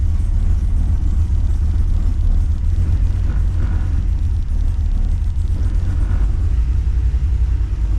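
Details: Holden VX SS Commodore with freshly rebuilt 4L60E transmission, engine warm near half temperature: smooth, steady low idle rumble after shifting into reverse, foot off brake, with no clunks, whine or shudder; normal reverse engagement.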